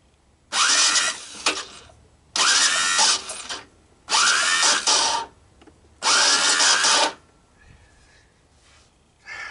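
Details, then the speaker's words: Honda ATC200M three-wheeler bought as a parts machine, starter jumped from a battery to crank for a compression test: four short harsh whirring bursts; starter itself sounds fine, but owner suspects a worn one-way starter clutch. "My electric starter or my clutch or both aren't sounding too good. Actually, the starter didn't sound too bad. It was really the clutch, the one-way clutch there that didn't sound too good."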